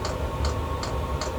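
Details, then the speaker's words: Chinese diesel heater at start-up after replacing noisy worn fan ball bearings, before producing heat; soft, even fuel pump ticking about 2.5 per second over a low hum as the fan revs up, with none of the old noise. Normal fuel pump clicking. "but the noise when I usually turn it on is just like and there's been none of that just just the fuel pump clicking just the thing revving"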